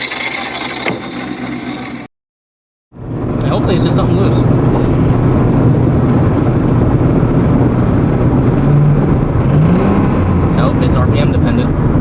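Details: Modified car, noise began at 2,000 RPM on the road: rough harsh mechanical clatter about three to four beats a second from the intake area, rising with revs, belt still on; cause unknown, suspected block, hopefully not head.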